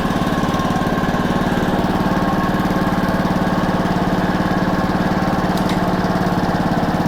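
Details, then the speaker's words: Honda walk-behind mower, single cylinder, started cold on choke after a new plug and cleaned carburetor, air filter off: steady, even chugging with no misses or knocks; runs normally. "i wish i could say that surprised me but it didn't so it runs that's good"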